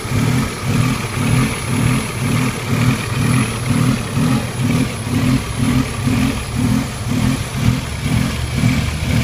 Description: Video demonstrates the idle surge issue that I am experiencing.